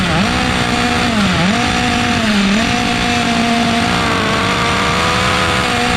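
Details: OFNA Mutillator nitro RC buggy from 2006, rusted and restored: high buzzing nitro engine dips and recovers unevenly on throttle blips at first start, running too rich and loud, being tuned for proper idle trim and needs leaning out.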